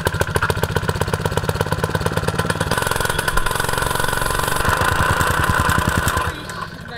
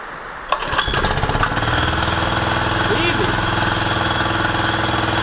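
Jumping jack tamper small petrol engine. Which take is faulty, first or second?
first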